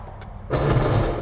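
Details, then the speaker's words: Jeep Wrangler (bought cheap, rusty) test: selecting four-wheel-drive low produces a short harsh grinding burst over the running engine, like gears clashing; 4WD problem, cause not yet diagnosed. "put it in for low ah I did not like that sound oh my that does not sound really good"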